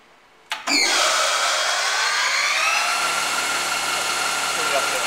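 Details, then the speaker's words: Bridgeport ROMI E-Z Path I 20" x 40" two-axis CNC lathe, spindle running: quick spin-up into a smooth steady whine with gear tones, no knocks or grinding; spindle working normally. "that's pretty much it there so we got that got the spindles working pretty good"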